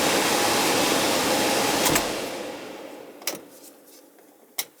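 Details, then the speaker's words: 15-year-old AC system icing up badly, blower run by jumpering R to G. A steady, airy blower rush runs evenly without rubbing or squeal, then fades as the unit is switched off; the fan is not the issue. "Fan's running. Fan's not an issue."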